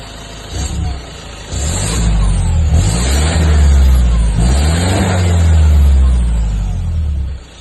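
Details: 2015 Ford Ranger 2.2 diesel revving up and holding with a deep drone and an uneven low throb underneath; an unidentified engine noise, cause not pinned down.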